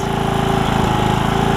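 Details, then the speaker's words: Briggs and Stratton single-cylinder riding mower engine after HiPA carburetor replacement, apparently flooded with fuel: even, quick beat at steady speed with no misses or surging, running pretty good; normal running. "All right, now we're good. Settle itself out. As you can hear it, it's running pretty good."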